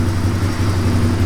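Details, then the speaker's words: 1997 Suzuki DR350 that had idled unsteadily and backfired (owner suspects an electrical ignition-timing fault), choke now off: low, slow, even thumping idle holds steady without stumbles; the longest, lowest proper idle yet. "I don't think it has ever idled this long and at such low speed that's a nice idle"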